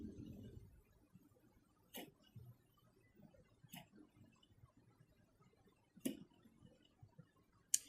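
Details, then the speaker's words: GTX 980 Twin Frozr graphics card fan spun by hand: a few sharp, uneven dry clicks as it spins down, less than before and fading; fan still clicking, lubricating considered. "now if I spin this one you hear that it's actually not as bad as it once was but it is still there which is not good oh it's getting quieter hmm interesting"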